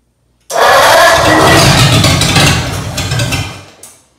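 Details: Ford 8BA flathead V8 on an engine stand after sitting at least 6 years, with oil primed, plugs and points cleaned and spark checked. It catches almost at once on a squirt of fuel in the carburettor, with an empty fuel bowl. It runs unevenly for about three seconds, then dies. First start after long storage.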